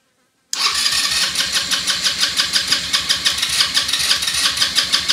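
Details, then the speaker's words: Elstar 150cc 2WD quad bike, long stored, in neutral, tank previously dry and just refuelled. Starter churns steadily about three beats a second and never catches. Cranks but won't start; fuel leaking at the carburetor fuel line. "so let's see if she starts probably take a while to get the petrol through from the first time the tank was pretty dry"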